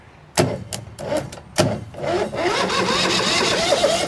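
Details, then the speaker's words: 2006 Mud Buddy surface drive with 23 HP Briggs Vanguard V-twin that did nothing at the key; with the switch bypassed, sharp crackling arcing snaps, then the starter engages and the engine cranks steadily. "getting we're getting engine turn over there so we're gonna clean that up and see if that fixes our problem"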